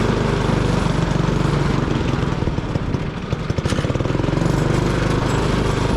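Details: 1959 McDonough T-10 Tin Lizzie go-kart, single-cylinder engine reassembled after 30 years disassembled, carburetor needle being set: chugs along, then sags and nearly dies before picking back up; struggling under load, cause suspected, not confirmed.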